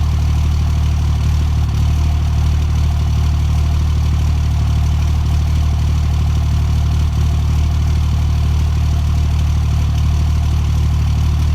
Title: Cold start misfire